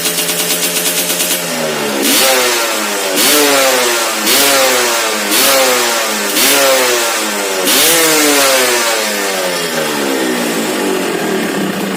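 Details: Restored, ported Suzuki Satria two-stroke underbone motorcycle; crisp blips, about five sharp revs climbing and falling cleanly back to idle, engine responding freely and sounding healthy.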